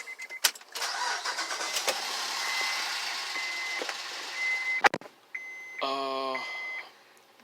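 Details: 2007 Honda Pilot with code P2647, started after fitting a new oil filter. Steady, even idle with no knock or tick, and oil pressure now 24–27 psi versus about 9 before; the worn engine was run on incorrect oil viscosity.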